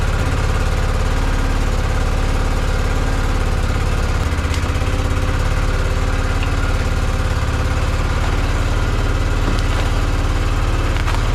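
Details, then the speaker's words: Polaris Sportsman 500 ATV, unknown year, after sitting, fresh gas, manual choke on; low uneven single-cylinder thumping with lumpy hunting beat, fuel-starved, won't run off choke or take gas; runs only on choke, clogged carburetor jet suspected. "that's a sign that we got a jet clogged I think that I can't take it out of Choke and I can't give it any gas so we might have to clean that carb"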